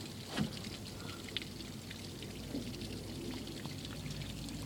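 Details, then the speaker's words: Evinrude Starflight 100hp two-stroke outboard, engine off, mixed gas with TCW3 oil: soft trickling and pouring as the primer bulb is squeezed and fuel flows into the carbs; normal fuel flow during priming. "and uh you can hear it flowing into the carbs seems like that's pretty good"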